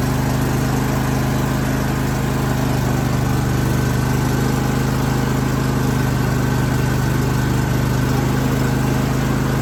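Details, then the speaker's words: John Deere L130 mower after refitting the bent-back rusted muffler: steady, even low putter at idle with no rasp or exhaust blowing; much quieter, exhaust sealed. "That's so much quieter than it was. I'm definitely happy that that's fixed now."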